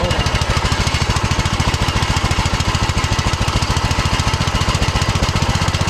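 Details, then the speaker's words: 2006 Troy-Bilt Pony lawn tractor with a new cheap Amazon replacement carburetor that has only an idle mixture screw. Harsh, uneven beat, about three to four pulses a second, low and at idle; owner suspects a bad carburetor. "So, uh, well, there's only that one adjustment on this carburetor, so I guess maybe I got a bad cheap carburetor off of Amazon, cuz that's the only adjustment is the idle mixture screw right there."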